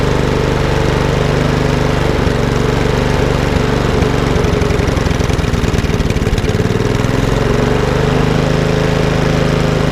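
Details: Lawnmower with RV150 engine and Briggs air box, running after a microswitch and cable issue was sorted: single cylinder running steady and even at constant speed, smooth unbroken beat with no misses; runs fine.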